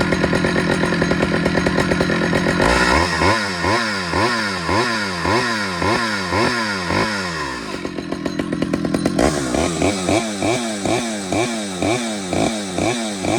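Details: Stihl 009L chainsaw after fuel line and oiler work, cutting wood: a crisp two-stroke buzz that bogs and recovers rhythmically as it bites, then revs freely; it runs, oils and cuts normally.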